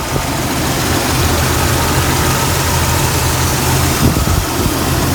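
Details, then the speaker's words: 1999 Jeep Cherokee XJ 4.0 inline-six at normal operating temperature after new plugs, cap, rotor and wires; low, steady idle around 725 rpm with an even, smooth beat and no misses or ticking, healthy. "Okay, idling now, normal operating temperature here. Idling, it's like around the 725 range, I guess. Lower, sounds good."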